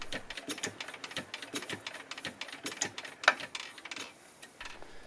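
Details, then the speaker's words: Enfield VS1 single-cylinder air-cooled diesel stationary engine, circa 1957, cold start in snow, hand-cranked with stop-start cam deliberately closed: slow irregular clicking and clatter, no injector squeak; no injection while cranking, won't start. "if it sounds like this and you don't have the sound of the injector something is wrong and it isn't going to start"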